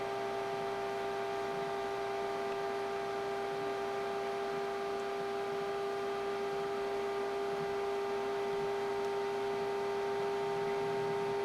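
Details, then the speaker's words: Custom-built Pentium D desktop PC near 40°C: constant high-pitched whine with steady hiss, no pitch change; owner believes the power supply fan is failing and screeching, fan to be replaced. "I'm pretty sure that that's the um the fan on the uh power supply that's making that"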